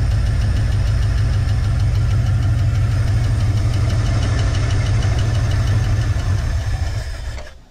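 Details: Ford candy van engine being revived, idling after start-up. A rough idle carries a steady low knock of about three knocks a second: knock at idle, cause not pinned down.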